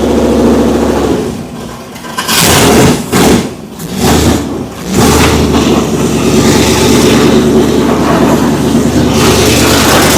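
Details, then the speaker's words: Oldsmobile Cutlass V8, motor built in 2008, first fire-up in years: lumpy V8 idle, a few sharp throttle blips, back to a steady idle. Sounds healthy and even, no leaks. "it's it's awesome to hear it fire up for the first time in all these years sounds healthy yeah it sounds good"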